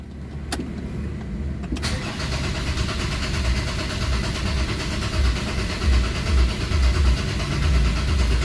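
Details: Ford Ranger common-rail diesel after bleeding the fuel filter, common rail, pump and injectors: a short crank, then it catches at once and settles into a steady, even clatter with no stumbling, a clean normal start.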